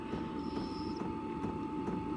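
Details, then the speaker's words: Hcalory diesel air heater in a camper, room up to temperature, cooling down before shutoff: steady fan whir with a constant tone and faint soft ticks about twice a second; normal cool-down. "It's going to cool itself down and it's probably reached its temperature in here. So, wow. Cool. This is going to save a lot of lot of fuel and a lot of energy in here."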